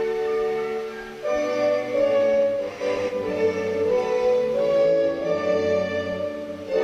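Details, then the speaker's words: Hacker Sovereign RP18 radio after AF114/AF117 transistor work, playing through the wrong amp: clean, full orchestral music with no hum, crackle or distortion; sounds healthy. "very nice that sounds bloody good even with the wrong amp"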